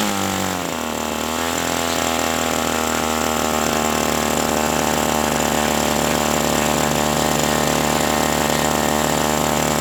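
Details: OS 120 AX glow engine, first break-in run, about 63°F: high, steady buzzing drone with a slightly burbly, uneven edge that never crisps up; running rich during break-in, not yet tuned.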